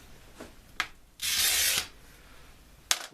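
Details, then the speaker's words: Glass cutter scoring glass: a loud, harsh, notchy half-second hiss, rougher than a clean score, indicating a worn wheel. The fix is to unscrew the head and turn it round to the next spare wheel. "is louder and a bit notchy, then unscrew this, turn this round for the next wheel. They don't last forever."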